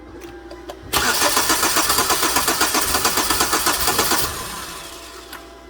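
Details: 2009 Hyundai Sonata crank no-start, cranked with 50 psi fuel pressure restored and a noid light on injector 1 showing pulse: starter churns evenly about four beats a second, tries but never catches; cause was slipped exhaust cam timing.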